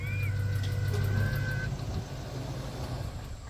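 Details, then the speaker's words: Ford F-350 truck on its first drive after repair: deep idle with a thin, faint whine from the power steering pump low on fluid; also a slight exhaust leak and still burning off some oil. "Little whine, we were a little low on power steering fluid, little exhaust leak, but we're there, buddy."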